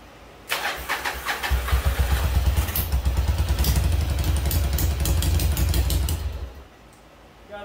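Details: 1996 Yamaha Virago XV750 V-twin, sat about ten years, first start after carb cleaning and a forgotten jet refitted: brief cranking, then catches and settles into steady lumpy idle for several seconds before shutting off; starts and runs.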